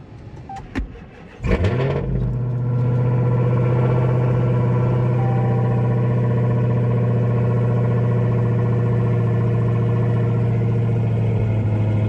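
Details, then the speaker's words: 2015 Dodge Hellcat with side damage, started on a jump box at auction: cranks, catches and settles into a deep, steady, even idle with no knocks or ticks; no check engine light, sounds great. "Nice. Honestly, really nice. Sounds great. No check engine light, so pretty sweet."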